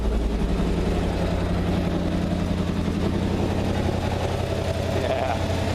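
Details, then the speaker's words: 1955 GMC 350-Series dairy truck, revived: loud, throaty V8 idle with a steady deep rumble and a raw, unmuffled bark; it needs a muffler. "sounds pretty good needs some Muffler definitely needs a seat"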